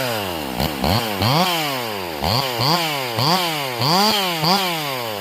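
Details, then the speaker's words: Stihl MS440 chainsaw, completely rebuilt and carburetor just tuned, with a 28-inch bar cutting red oak of nearly three feet: it screams up and eases back under load in quick cycles, picking up crisply each time; runs excellently, with a slight stumble on the backside. "Michael, dude, this thing running spectacular, man."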